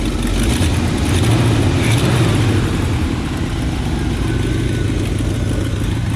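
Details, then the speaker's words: 1966 Pontiac Lemans V8 idling: deep uneven burble with a faint puffing tick from an exhaust leak at the paper exhaust manifold gaskets. "We got an exhaust leak. It's paper gaskets over here. I can hear it coming right out of there too."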